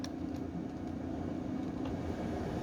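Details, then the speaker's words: HQ Holden Kingswood with newly installed Vintage Air A/C, blower on dual face-and-feet mode: steady airy rush with low even hum, no rattle or scrape; blower running smoothly. "Fan's still blowing that paper so it's still going to feet and it's also blowing out of this vent here now to blow cold air at your face out of these two vents"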